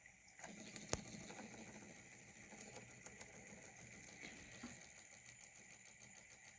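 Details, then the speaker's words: 3D-printed Newman motor on 12 volts with new round commutator: spins fast and smoothly with light rapid chatter of copper foil contacts; the earlier thumping is mostly gone. "so it runs much smoother with the round commutator obviously"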